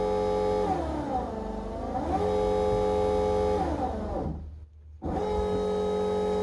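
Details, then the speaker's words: Fuelab variable-speed brushless fuel pump on a turbo car, PWM-controlled by a FuelTech FT550 at 80% map-based duty cycle, running at high speed: loud, steady high-pitched electric whine that sags and recovers as pump speed varies; normal operation. "kick it on it's got a setting for Progressive it's pretty loud high speed"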